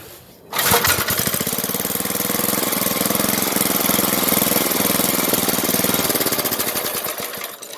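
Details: 33-year-old Briggs single-cylinder engine on a yard kart, which still has carb problems: it fires, runs with an even, rapid beat for several seconds, then dies away; this confirms it has spark and the kill switch works.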